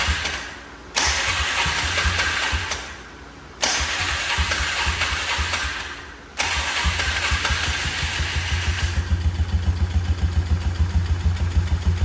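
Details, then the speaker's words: Four-wheeler (ATV) first start after major repair, carb and missing intake boot reinstalled, Marvel Mystery Oil added: three short cranking bursts, then catches and settles into steady, even idle thump; little smoke, idle a little high; motor sounds good. "motor sounds good it's not smoking out as much as I thought it would a little bit of stuff burning up in the front that idle's a little high"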